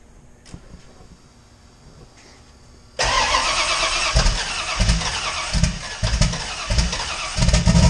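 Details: Fox body Mustang with 358W engine and 80mm turbo, started after connecting the injector ground; quiet lead-in, then it catches and settles into a steady idle with a few throttle bumps, running clean. Normal idle.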